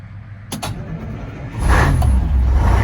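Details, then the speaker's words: International fire truck with a Detroit Diesel after new batteries and cleaned ground and positive cables, at 64°F after sitting about a month; heavy, low, even cranking that spins briskly with no drag, then it starts with good oil pressure. "cranking over fast though [Music] and then it started right up good oil pressure"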